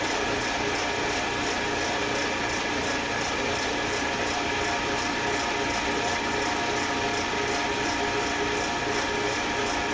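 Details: Eastwood Elite QST 30/60 scroll air compressor after replacing the failed pressure switch, which had never cut out and popped the 30 A breaker: building early pressure toward the 145 psi cutoff, even hum with fast regular ticking, pitch holding; normal running.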